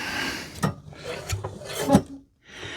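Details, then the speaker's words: 1930s two-stroke mower engine, previously stuck, being turned by hand while still hot with oil in the cylinder: notchy stiff rotation with uneven metallic scrapes once per turn; bent flywheel fan blades catching on a leg, need bending out. "That metallic noise you can hear as this fan is slightly bent. Ah, that's this fan blade here. And this fan blade here."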